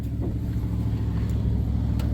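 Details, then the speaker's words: 1999 Dodge Durango SLT revived after sitting 14 years: a smooth, even hum with no misses but a fast 1,500–1,600 RPM idle that persists after restart. The throttle is not stuck. "I pull in here, and we're at 1500 RPMs idling."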